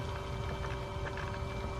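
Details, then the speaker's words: EG hatch water-to-air intercooler coolant pump after bleeding: even, steady pump hum with a soft wash of flowing liquid and no gurgle. Circulating normally and now quiet. "now it's moving all right circulated now it's nice and quiet you hear that"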